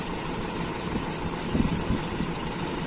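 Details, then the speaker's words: Toyota Kijang Super 5K with original Aisan carburetor fitted with FMT jets, AC idle-up vacuum working: low idle with uneven lumpy beat and stumbles; rough idle persists while adjusting mixture screw. "nah ini masih ada sendatan-sendatan gitu teman-teman ya mungkin karena berbeda itu tadi makanya kita coba Seperti apa nanti hasilnya"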